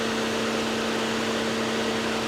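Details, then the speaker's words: 2007 Mercedes-Benz E350 (W211, regular shocks and struts) at a Copart walk-around, about 100 degrees out: steady, even idle with the cooling fan whooshing, no knocks or misses; runs really well, no leaks. Normal idle with cooling fan running. "This is really, really nice. She runs really well. You can hear the fan working already. There's no leaks."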